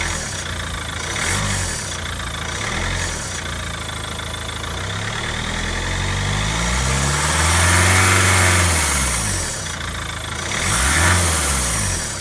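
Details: 2010 Ford Mondeo Mk4 2.0 TDCi revved in bursts into turbo range; sharp airy hiss swelling as revs rise and fall, on overrun, lift-off and acceleration, gone under steady load; belt whirring also audible; hissing noise on rev changes, cause unknown.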